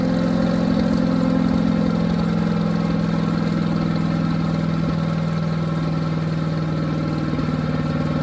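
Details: New Harbor Freight Predator 212 chipper shredder that would only run on choke, after the fix and fresh oil: steady even low drone, no surging or misses; running smoothly.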